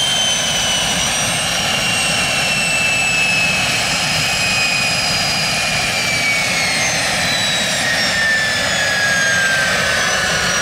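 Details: Jet turbine truck, first start-up after winter, after cleaning a dirt-clogged fuel filter and adjusting the fuel pump: loud steady roar with high whine drifting slowly lower, no surging; normal turbine running, better than ever.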